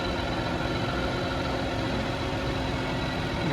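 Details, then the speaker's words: 2004 Toyota Camry 3.0L 1MZ-FE V6, hot, which kept stalling and wouldn't restart: steady, fairly even idle only once the idle control valve connector is unplugged, pointing to a faulty idle control valve. "Disconnect the connector and let's see if it starts. Okay, look at that. It's running. Crazy, isn't it? Just from disconnecting this"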